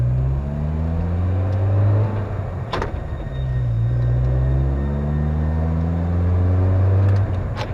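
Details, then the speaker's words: 1996 Kia Sportage manual transmission with worn synchronizers: engine revs climb, then a short harsh rasp going into third; gear grind on upshift, downshifts grind worse; cause suspected, not confirmed. "apparently those are shot and so when shifting normally you get a grind or a rake into each gear here take a listen"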